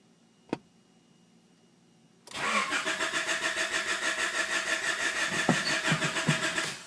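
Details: Honda H22A engine won't start: starter churns at about three and a half even beats per second for four seconds but it never catches; crank, no start.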